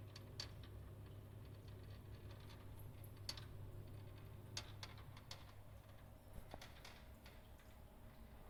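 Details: Glow Worm gas boiler rattling: low steady hum with sharp, irregular ticks and light rattles coming through it.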